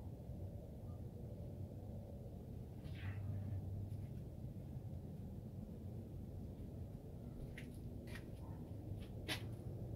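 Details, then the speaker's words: 2004 Dodge Ram 1500 SLT 5.7L Hemi after replacing the alternator, whose worn bearings had been noisy: low even engine rumble with no bearing whine or grinding; normal alternator running. "so this is the pick so there's no more noise uh coming from the alternator"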